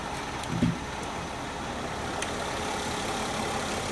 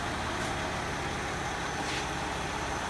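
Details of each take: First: 2000 Mercedes ML320 W163 petrol V6 (M112) idling warm after a drive, after belt/tensioner work at the engine front; steady fairly quiet hum, no belt squeal or clear ticking, quieter than before; normal idle. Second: 2000 Mercedes ML320 W163, M112 V6, 18 years old, idling warm after driving with AC running, front-of-engine noise; owner suspects lifters or belt. Dry whirring and faint chatter from belt drive: worn idler pulley.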